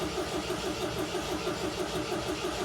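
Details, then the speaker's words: 1979 MGB long kept in the family, choke set and fuel pump primed: steady, even cranking with no catch or firing at all; the engine spins but won't start on bad stale fuel. "Bad fuel. Okay. Well, if it isn't going to start, at least we can listen to the radio."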